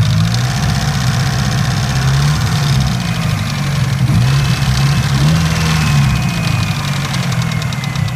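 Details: Mitsubishi Evo 9, warm idle; noise starts only after about 3 miles of driving: steady rapid ticking knock over an uneven, wavering rumble; owner unsure if valve tick or rod knock.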